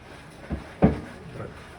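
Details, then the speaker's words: Kenmore Elite front-load washer, model 110.42922200, in diagnostic tumble mode: a slow tumble with dull, irregular thumps about half a second to a second apart. Worn drum bearings are knocking, a repair that costs about as much as a new washer. "This one is making a knocking noise because the bearings are worn out."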